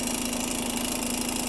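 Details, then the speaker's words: Yamaha PW50 two-stroke that had idling trouble, after an OEM throttle cable replacement and carburetor idle and pilot screw adjustment: settles into a steady, even buzzing idle with no hunting or stalling. Normal idle. "see you want to see if it comes back down to idle which it does"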